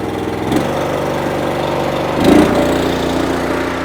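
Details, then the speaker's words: Honda GX390 engine on a roughly 3-year-old Wolfe Ridge 28C wood splitter, restarted at about half throttle, warm, right after an oil change; steady, even single-cylinder beat with no misses, knocks or hunting: normal running. "We're gonna start it back up, make sure it sounds good, and then we're gonna be done."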